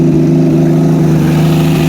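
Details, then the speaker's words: 1972 Plymouth Valiant six just after a cold start, recorded near the exhaust with no coolant in it: a steady, strong, even drone held at raised revs with no knocks or misses. Normal rev; that's how it's supposed to sound. "There you go, people. That's how she's supposed to sound."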